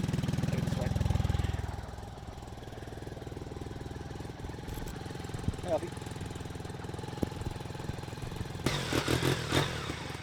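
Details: BMW K75 RT at minimum idle setting, still cold and warming up, after spark plug change, fuel injector replacement and air filter cleaning: low, steady idle with an even pulse and no misses. Normal cold idle.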